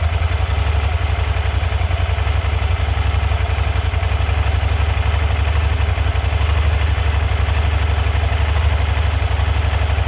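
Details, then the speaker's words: SV650 motorcycle on its first start after a rebuild. The V-twin idles with a steady, even low thrum and regular pulse, no knocks or misses. The earlier no-power fault is suspected to be a loose battery terminal. "Alright, so bike was working, bike wasn't working, bike is working. I'm gonna bet on a loose terminal because that's the only thing that makes any sense."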